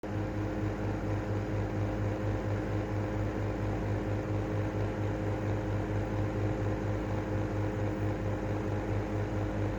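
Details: Airflow style 2.5 exhaust fan running with a steady low hum and whine pulsing about twice a second: exhaust fan whine.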